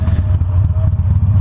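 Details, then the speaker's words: Harley Iron 883 riding: faint, thin squeal over the deep, lumpy engine rumble from the drive belt, which needs BRP grease reapplied; belt kept properly adjusted, not the brakes. "Don't worry, that's my belt squealing. I gotta reapply some BRP grease to it. You ever have your Harley belt make that sound?"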